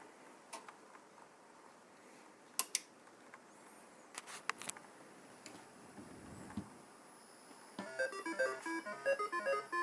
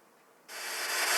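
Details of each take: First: Atari 5200 console after replacing two capacitors to cure crackling, staticky sound. After quiet handling clicks, bright beeping game music plays cleanly with no crackle or static. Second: Atari 5200 console with a cartridge in, heard on power-up: silence, then harsh crackling static that swells louder. The owner suspects the POKEY sound chip area and plans to bend up one of its pins to diagnose.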